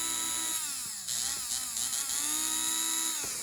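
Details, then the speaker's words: Motor of a vintage Rivarossi Berkshire model locomotive that wasn't running, after lubrication and fixing a loose bolt and bent rod; clean high whine rising and dipping with power, no rattle or grind, motor runs fine. "I did lubricate this. A little bit more juice there. Yeah, this thing is fine."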